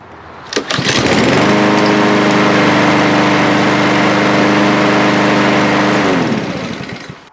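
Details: Lawnmower back a month after service with oil on the body, after cleanup and new air filter: starts first pull, smooth even drone about five seconds, winds down cleanly; running normally.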